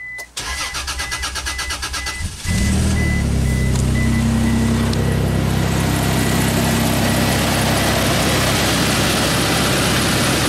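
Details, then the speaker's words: Isuzu Rodeo that keeps blowing its fuel pump fuse, with a long crank the owner has noticed for about six months. Starter churns rapidly, about four turns a second, for over two seconds before the engine catches; long crank before start. "owner had this car for maybe six months or so and always had a little bit older crank"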